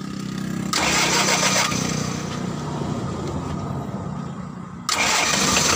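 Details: Mitsubishi L300 diesel after engine overhaul, first start after bleeding fuel from the injector lines: brief crank, catches, settles into an even diesel clatter with one short rev; starts cleanly and idles healthy.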